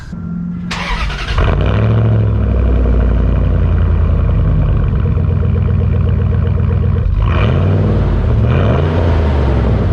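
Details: 2001 Dodge Dakota 4.7 L V8 after muffler delete (straight pipe replacing muffler, catalytic converter kept, full-length exhaust): starter whirs, catches into deep loud steady rumble with rev blip. Loud exhaust after muffler delete.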